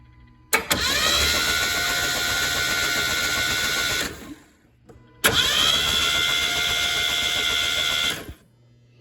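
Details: Z24 turbo 3400 engine on its first start attempt after a rebuild, cranked with plugs out, injectors unplugged and fuel pump fuse pulled. Two even, fast starter bursts of about 3.5 seconds each, turning freely without labouring. Compression is about 160 psi; normal cranking.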